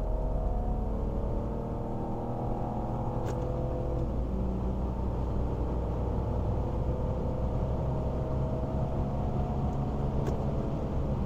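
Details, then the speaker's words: Warmed-up 2001 BMW E46 330i automatic at full throttle starting in second gear to about 90; engine note climbs smoothly and evenly with no misses, knocks or flat spots, pulls well, transmission feels strong and shifts cleanly; normal acceleration. "smooth as butter accelerates and pulls really good AC is blowing ice cold trans feels real strong shifts really clean"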